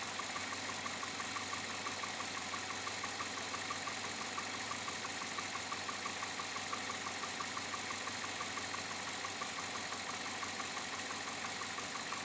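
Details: 2007 Chevrolet Avalanche V8, about 86,000 miles, at idle: light, fairly even tapping about ninety a minute over a steady idle; owner unsure if engine knock or piston slap, unfixed after four dealer visits.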